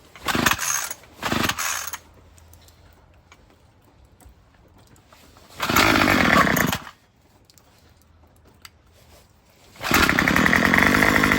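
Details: Murray M2500 string trimmer, fired up after a new carburetor kit and spark plug; short revving bursts die away, never holding speed. It bogs on an untuned high-speed mixture screw, later turned counterclockwise.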